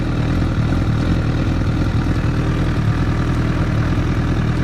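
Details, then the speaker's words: 2008–2009 Honda CBR1000RR idling in neutral: steady even low idle with light top-end tapping, no whine; loud but normal engine noise, cam chain and valves good, no clutch-basket gear noise. "That's normal engine racket. These are very loud. The cam chain's good, the valves are good on this bike."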